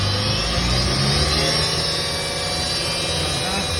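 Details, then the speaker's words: Toyota Fielder, engine running and revving: steady low hum from the rear differential; removed viscous coupling is noisy and worn. "так сняли муфточка и она у нас шумит"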